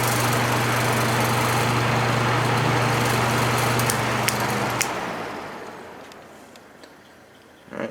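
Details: Patton U2-1272 fan from the 1970s with a new shaded-pole Fasco D128 replacing the motor that burned out in 2016, run on low, medium and high: even motor hum and air rush, smooth and steady, then quiet wind-down; normal healthy fan.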